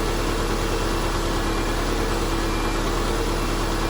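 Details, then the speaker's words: 2005–2009 Subaru Legacy idling after power steering pump replacement: a smooth, even rumble with a steady hum and no whine or groan from the steering pump; sounds healthy. "So we're going to start the car to test the power steering. Sounds good to me."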